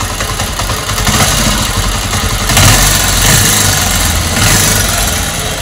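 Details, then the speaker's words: Bajaj Avenger 220 after repair with faulty parts replaced, engine on its second rebuild: even, settled idle with smooth steady beat, no tapping or rattling; running healthy. "तो गा इसका आपने sound सुना होगा कितना बढ़िया मखन आवाज आ रही है एकदम बढ़िया जैसे न गाड़ी की आवाज होती है"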